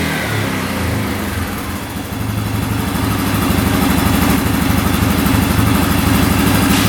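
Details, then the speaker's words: 2009 Yamaha Grizzly 550 EFI ATV after repair, with the air box off. Its single-cylinder thump picks up cleanly from idle and holds an even rev without hanging, surging or over-revving. "Alright, so far so good. Throttle's not getting hung up at all, not over revving."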